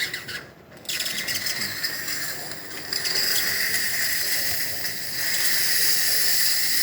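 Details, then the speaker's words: DeLonghi Dinamica espresso machine after motherboard replacement that fixed non-stop grinding: steady high hiss from the steam wand once the side thermoblock reaches temperature, no sputter; normal steam flow. "hot water and nice steady steam coming out from the one and once the thermo block that is located on the side of the machine uh gets up to temperature we get to see little bit"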